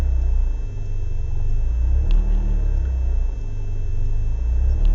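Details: BMW 318is E36 coupe, M42B18 engine: deep, lumpy idle swelling and sagging unevenly, with smoke. Same cold or warm. No leaks, ICV and MAF cleaned, fuel consumption up. Rough idle, cause unknown.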